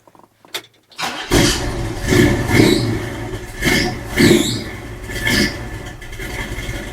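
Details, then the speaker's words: 1966 Chevrolet C10 V8 with a new 3-inch exhaust and Flowmaster Delta 50 mufflers, test-fitted before welding or clamping: fires up, blips, settles to a mellow, even, fairly quiet burble with no rasp or leaks; the exhaust sounds healthy. "not bad nice and quiet up [Music] here that sounds pretty good actually kind of like it"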